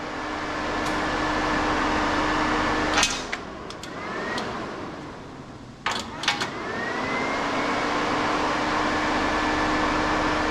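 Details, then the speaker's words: Snowcat build turbo diesel radiator fan, powered at 12 volts through an open/closed contact temperature switch. A steady low hum with a faint whine, briefly broken by clatter, spinning the right way. Fan running normally; the switch takes a second to heat. "and it's going the right way just takes a second for the heat get into the sensor so or into the contact"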